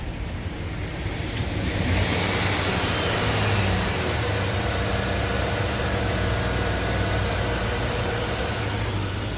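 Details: Chevy Suburban 5.3L V8 at idle on first startup after AMSOIL power-cleaning trio, flush and oil/filter change; oil pressure above 40. Steady, even idle with smooth low hum, no knocks or ticks; sounds healthy.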